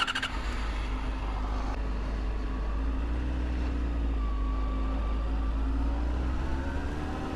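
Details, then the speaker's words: 2007 Yamaha FZ6 four-cylinder after tracing the misfire to a failing ignition coil. Even, slightly high idle hum, left high from troubleshooting, with no misfire under 2,000 rpm; idles really smooth. "see under two grand no misfire and as you can see the bike runs great you can pull away from a stop under two grand it doesn't misfire and chug it idles really smooth"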